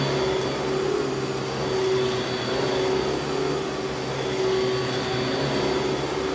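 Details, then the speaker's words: Vintage Panasonic Jet Flo vacuum after belt change: steady even motor roar with constant tone, no knocking, rubbing or belt squeal; normal running. "Not bad for an old machine. I'll take that."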